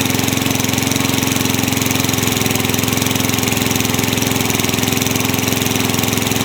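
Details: Craftsman mower with engine swapped in for the blown Tecumseh, running after the kill switch and coil wiring were fixed to restore spark: quick, steady popping beat holding an even fast idle with no stumbling; healthy.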